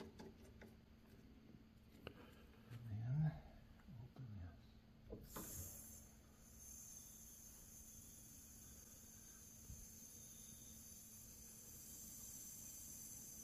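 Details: Rebuilt 2011 Ford Explorer during AC vacuum and recharge, can on the low-side port: quiet, then a sudden steady high airy hiss that holds as refrigerant flows normally into the system.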